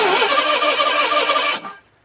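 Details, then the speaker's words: 1985 Ford Bronco II, 2.8L engine with fire-damaged wiring and a Duraspark conversion, running only 12 V and starter feed: hissy cranking with a faint catch or two, dying in under two seconds; owner suspects ignition timing very early or late, possibly from wrong timing marks. "sounds like a little of something you may have the timing very early or very late"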